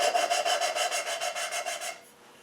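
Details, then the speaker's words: Volvo cylinder head valve lapped in with fine cutting compound, no oil on the guide: quick rasping strokes about four a second then a pause, the grinding going quieter as the valve beds in. "the noise the grinding it starts to go quiet now"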